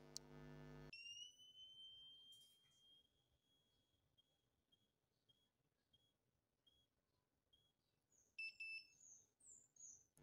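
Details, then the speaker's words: 10 V 2200 µF electrolytic capacitor tested with a multimeter continuity buzzer: the buzzer tone breaks into intermittent chirps because it keeps drawing current, and the top is slightly bulged; leaky capacitor or large capacity loss. "Terdengar ya, suara buzzer terputus-putus. Dan kita lihat kondisi kapasitor ini di bagian atas sedikit agak kembung."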